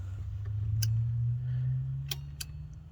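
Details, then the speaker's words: Ford EB Falcon XR8 sunroof: with 12 V applied and a multimeter on the motor, a few sharp dry relay clicks over a low hum. Power is reaching it, but the sunroof motor doesn't move and seems seized. "yeah we're getting power you can hear the really now that's good that's so good"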